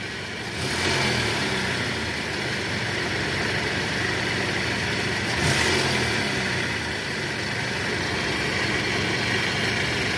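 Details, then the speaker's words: Toyota Camry (2AZ/2AR engine) idling smoothly in reverse with brief throttle swells after balancer shaft replacement; previously rough and noisy in R from a loose balancer shaft, now sounds normal. "Oke. Bagaimana menurut kalian? Suara mesinnya tidak kasar lagi."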